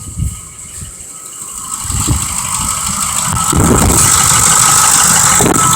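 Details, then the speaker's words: 2005 Ford Expedition 5.4L Triton with a slipping forward clutch: quick, regular clacking, about four per second, from the valve cover at idle; suspected bad cam phaser or lifter and possibly not firing on all cylinders. "alright wagon noise coming out of the valve cover here and we all know what that is from watching these previous videos that are going to be a bad cam feasor or a lifter inside of"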